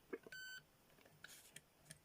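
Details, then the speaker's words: Homemade late-1980s pitch-indicating continuity tester: one steady high clean beep about a quarter second among faint clicks, signalling a connected pair of points, faster than a digital meter. "you can easily find the uh you can easily find the ones that are connected and he's much faster than using a meter especially a a digital meter where you couldn't test he couldn't test that quick with the digital meter"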